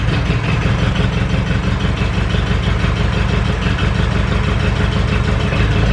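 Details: Ferguson 20 petrol/TVO four-cylinder tractor, sat 10–15 years, running indoors with leaking coolant hoses: steady even low chug, no misses or knocks; oil pressure good, running cleanly.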